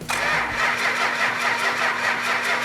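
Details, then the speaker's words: 1971 Dodge Challenger R/T 440 on an engine run stand. Steady starter whine with compression pulses about four per second and no firing: cranking, no start, no spark, traced to a faulty coil. "fuel off crank it over yeah we got no spark"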